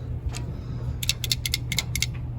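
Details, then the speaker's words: Removed lid switch from a direct-drive washing machine that stops after filling, shaken by hand: bright tinny rattles as a loose part slides inside; broken lid switch, replaced with a new one. "you can see it's just sliding around there openly. So if it gets stuck all the way open, you may be able to get it to spin, but it's not working properly as it should."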